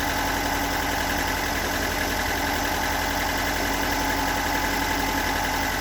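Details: Stock unmodified bigport blue-top 4AGE in a Toyota AE86, about 195,000 km on the swapped clock, regularly maintained: uneven rough idle with a steady light knock about three to four beats a second; owner cannot locate the cause.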